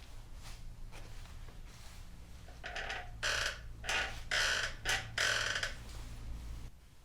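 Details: 2004 Yamaha R1 rear end pushed down: a few rough squeaky bursts over a low hum each stroke; a horrible dry squeak from the rear shock or linkage, back joint suspected.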